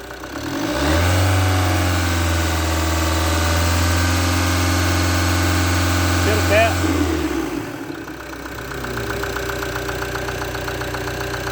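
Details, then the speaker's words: Rampage 2.2 diesel: even clatter at idle, revs climb smoothly to about 2,000–3,000 rpm, hold, then drop back to idle; normal healthy diesel sound. "Quem gosta do barulhinho do motor diesel, escuta só na marcha lenta. Dá uma acelerada aqui para mim. Vamos acelerar para vocês ouvir ela acelerada."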